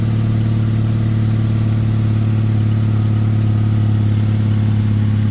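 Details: Chevy Malibu test run after starter motor replacement and MAP sensor cleaning, started without a jump; steady, even low hum with no knocks or misses; normal idle.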